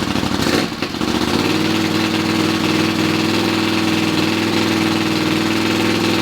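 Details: Honda CX 500 scrambler after correcting swapped parts causing wrong ignition timing, kick-started: engine catches after brief cranking and settles into steady even run with mid-pitched exhaust note; normal running after start.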